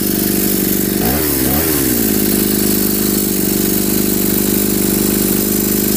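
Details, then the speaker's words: Homemade two-cylinder two-stroke brush cutter engine with one ignition coil and carburetors joined by hoses: after throttle blips, a thin buzzing, lopsided idle; only one cylinder fires at a time, and the cause is unknown. "тільки чомусь працює по черзі двигуни. Разом вони чомусь не працюють."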